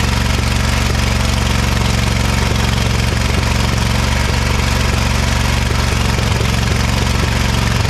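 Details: Ariens-made Ever Ride Hornet zero-turn, 25 hp Briggs & Stratton V-twin, sat outside about a year: thumping, lopsided idle with one cylinder not pulling; misfire, that cylinder's spark plug gap nearly closed with carbon.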